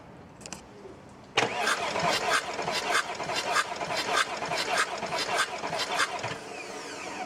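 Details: Audi A8 D2 2.5 TDI V6 (AKE) diesel cranking steadily and evenly during a compression test. The gauge showed 0 on cylinder 4, 20 bar on cylinder 5 and 22 on cylinder 6. The cranking compression sounds normal.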